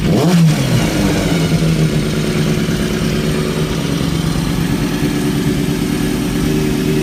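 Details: 2003-2004 Kawasaki ZX-6R 636; sharp rev then rough uneven mechanical clatter under the idle; owner suspects timing gear, tensioner reset per manual changed nothing; abnormal engine noise, source unconfirmed.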